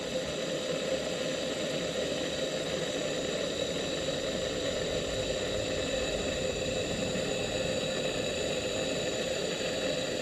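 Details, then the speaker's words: Gas pressure lamp (1920s AGM American Ready-Lite table lamp) revived after long dormancy, burning well with a steady, even burner hiss and no sputter or surging. One mantle may still have slight air-tube restriction. Normal burning. "Pretty nice looking old lamp, and it's burning good."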